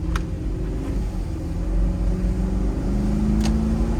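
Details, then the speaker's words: 2005 Range Rover L322 with BMW V8, 171k miles, recent maintenance, driving in high range: smooth low growl rising a little as it pulls, even firing, no knocks or whines; a healthy engine on the road. "And I don't know if you can hear it, but it's got a good little growl, and most of them do. It's not just this truck."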